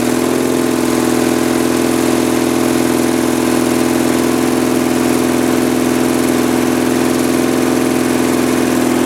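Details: Early-1980s Sears Craftsman FF20 tractor single-cylinder engine after carburetor cleaning, choke partly closed: steady, even drone at constant speed with no misses or surging, running smoothly on its own.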